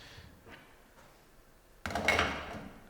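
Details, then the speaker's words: Sanremo espresso machine at brew start: quiet, then a sharp click from the group valve above the head followed by the pump kicking in with a steady hum; normal, coil should stay silent. "When you brew an espresso, we should hear a click from above the head, as well as the pump engaging."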